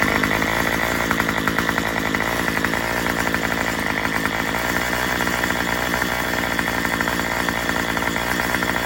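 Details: Murray M2500 two-stroke trimmer just fitted with a new carburetor kit and spark plug, running flat out; loud, buzzy, fast, slightly ragged pulsing that won't clean up. The high-speed mixture is untuned and it bogs.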